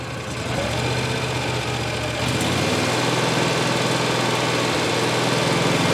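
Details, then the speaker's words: 2018 Mahindra Retriever 750 UTV V-twin at light throttle while stator AC output is measured at 14.5 V: the engine picks up smoothly and settles to a steady lope. Normal running; the charging fault lies past the AC input wires. "Go ahead and give her a little fuel. Increase the RPMs a little."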